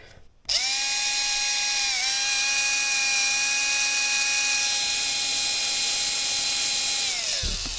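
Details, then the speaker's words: 20-year-old motor from a 2003 Tamiya M-03L Mini Cooper RC car, bench-tested on a battery: clean steady high whine holding even pitch with a small dip and smooth spin-down; motor healthy and usable. "yeah so that sounds healthy um it does sound usable"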